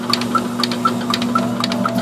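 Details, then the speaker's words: Refrigeration compressor on a gravity-flooded evaporator, suction pulled to a partial vacuum (about 15 psia suction, roughly 165 psi discharge, evaporator −31): steady hum with sharp clattering about four per second; labouring at a high compression ratio. "And you can hear all the noise the compressor's making. There's a hell of a compression ratio right now. We're talking like 15 pounds absolute on the suction side and probably 165 pounds on the discharge side."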